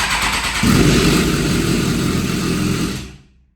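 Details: 2007 Suzuki GSX-R 750 after fitting replacement cam chain tensioner, engine turned manually to engage it: starts with a harsh, hissing clatter over idle for about three seconds before cutting off; loose cam chain rattle.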